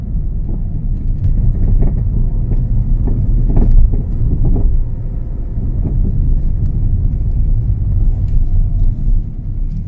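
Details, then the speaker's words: Peugeot 207 front suspension knock heard inside the moving car: uneven dull knocks under low road rumble; play found in the right lower control arm ball joint, which is worn and will be replaced. "Evet görüldüğü gibi boşluk var bu bozulmuş alt salıncak sağ rotilli boşluktan dolayı yapıyor şimdi bunu değiştireceğiz"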